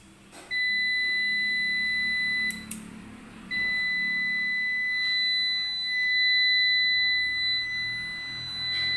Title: Ups long beep sound problem